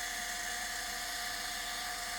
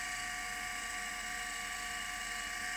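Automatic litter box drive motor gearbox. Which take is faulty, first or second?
first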